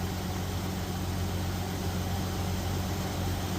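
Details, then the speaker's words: Jeep Cherokee 4.0L at 345,000 miles, cold, just rebuilt with used pistons after a cracked piston: quiet, steady idle, slightly uneven, no clatter, injectors audible; normal idle after repair. "I don't think I've ever heard it idle that quiet. It's It's not very smooth, but it's quiet."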